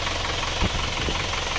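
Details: Isuzu Panther diesel warm at 72°C after repair: the cylinder 4 liner had sunk badly and leaked compression, so it was flipped and new piston rings fitted. Dipstick blow-by is gone. Even, steady idle clatter with no heavy knock; healthy.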